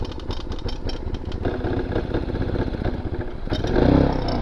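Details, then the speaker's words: 1985 Honda Elite 150 barn-find scooter, 3000 miles, on a test ride accelerating through 15-40 mph; the pulling beat turns ragged and uneven as power sags and it stops moving, traced to a loose carburetor. "Let's see what this bad boy can do. 15 miles an hour, 25, 35, 40. What is happening? It's not moving."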